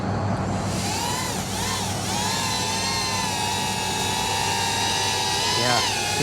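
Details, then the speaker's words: Mobula 8 frame FPV drone, 1003 14800kv motors, 2015 two-blade props, Betaflight master multiplier lowered to 1.6 in angle mode: even high-pitched motor whine rising and falling with throttle, earlier oscillation trill gone; smooth motor sound. "you can hear the motors, that kind of, I guess, yeah, oscillation, that trill that we heard, kind of gone."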